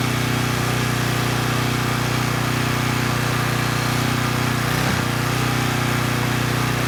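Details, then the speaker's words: Coleman Powermate Pulse 1850 generator, 1996 engine, after repair, loaded by a space heater slightly above its 1500 W rating: even, constant hum holding speed with no hunting or surging, voltage held at 114 V, about 62 Hz after governor reset; normal running under load. "i think we're in pretty good shape the generator is only rated at 1 500 watts and this space heater actually pulls slightly more than that and i was able to maintain voltage of 114 volts"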